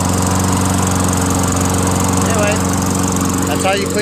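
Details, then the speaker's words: Toro Recycler 22" self-propelled mower, 6.5 HP Tecumseh single-cylinder, after clearing a hydrolock (oil in combustion chamber) and carb clean with new needle, float, gasket, bowl and fresh gas: steady even buzz at constant speed, no hunting or misses; running properly. "I'm gonna pull it a few more times to clear it some more and then I'm gonna try it started pulled it Bob about five times pretty hard some more oil came out"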